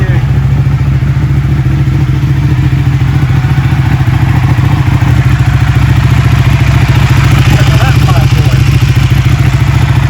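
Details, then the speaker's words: Ducati Panigale 1199, first start after a rebuild with repairs and modifications, coolant cap left off to bleed air, some smoke: loud, deep, even V-twin thump at a steady idle with no knocks or rattles; running healthy. "I'm so happy. It works. It works. It sounds amazing."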